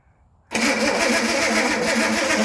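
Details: Slow, laboured starter whirring without catching on first crank, after distributor work and SU flat-top carb rebuild; weak battery, later swapped for a bigger one, giving much faster turnover.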